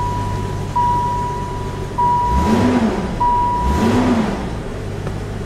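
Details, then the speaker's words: 1995 Jeep Grand Cherokee after PCM repair fixed a no-start with a clicking ASD relay: starts right up and idles steadily with light revs under warning chimes, sounding healthy. "sounds like a million bucks started right up so here's where we wound up today we got the Jeep to run it's awesome"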